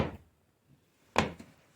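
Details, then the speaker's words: Alfa Romeo 159 front door: sharp hollow knock when the door swings open from the worn door limiter/check strap; greasing the sliding surfaces didn't help; fixed by replacing the limiter mechanism. "and it makes the sound and gives the impression that you are entering in some of the most poor quality cars ever built"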